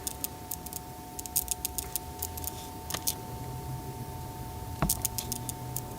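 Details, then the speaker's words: Rivian R1T electric truck, over 10,000 miles: the in-cab wireless charger's copper coils mistake a tape measure's coil for a phone. A faint steady tone with repeating ticks is heard as the charger keeps pulsing it. "Literally shocking my tape measure over and over again. It's not enough electricity that a human can feel it, but it's still pretty crazy that my electric truck is electrocuting my tape measure."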